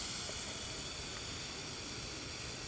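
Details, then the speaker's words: RCA CTC16 round-tube vintage TV with substitute flyback, rectifier and shunt tubes out, brought up on variac: steady airy high hiss, no rhythm, boost about 660 V against a supposed 975; high-voltage corona around the flyback, ozone. "Once I put the rectifier tube in, and the shunt tube, that's when we get the X-rays. This is just corona and ozone to the max."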